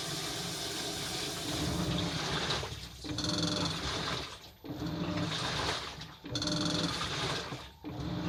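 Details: Washing machine drum gives a light metallic rattle over sloshing water, easing each time the drum pauses about every 1.5 s, for several days; a 10-yen coin later came out through the drain pipe, so the rattle was a loose coin.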